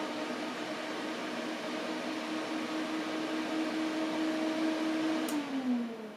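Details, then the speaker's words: 2008 Mac Pro after months of inactivity, powered on while trying to boot from a USB drive. Fans ramp up to a loud steady rush, then sag as they spin down; no boot, cause unknown: fans ramping to full speed. "so that wasn't very good the fans just ramped up really loud"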